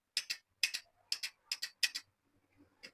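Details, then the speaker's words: 8-pin glass miniature relay (220 V), coil on pins 2 and 7, energised by the green push button; five pairs of crisp clicks as it pulls in and drops straight out each press, not latching because the common holding wire isn't connected. "जैसे ही हम green को दबाते हैं तो ये coil जो energy हो जाती है। अभी ये होल्ड नहीं हो रही। क्यों होल नहीं हो रही? क्योंकि हमने इसका कॉमन नहीं लगाया।"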